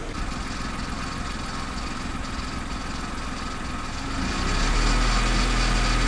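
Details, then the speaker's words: Kia Picanto after dealer repair of engine noise, idling after cold start: steady, even low idle with no rattle or tapping, a touch louder near the end; engine healthy and smooth. "and uh not only does it sound a lot healthier it's just more peaceful on the head you know driving around with that all the time so i'm really really pleased"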